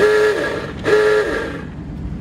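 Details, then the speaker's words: 1947 Ford half-ton pickup's awooga horn, worked by an auxiliary button down below: two loud wailing blasts with a falling pitch sweep, each about a second long; normal horn operation. "awooga horn it's got an auxilary button down below for the horn to work"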